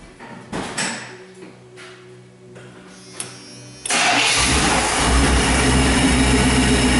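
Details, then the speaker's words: 1993 Chevy G20 van, 5.7-litre V8, brief first start after water pump replacement, no coolant yet: starter cranks, engine catches and settles into a steady even idle with no belt squeal or chirp; normal idle. "Alright, well that seemed to sound good. Sound like an old Chevy. Pretty distinct sound."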